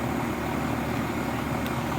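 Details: 35-year-old AC condenser fan motor after its dry, squeaking bearings were oiled and the coil cleaned: steady, even whoosh and low hum with no squeak or rubbing. Running smoothly and as quietly as ever.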